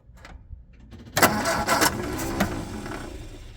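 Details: Long-sitting 1967 MGB GT with a suspected fuel leak, being pumped and cranked: the starter turns over and a few ragged bursts flare and fade without settling into a run. It cranks but won't start yet; the cause is unconfirmed, and it ran on the next try.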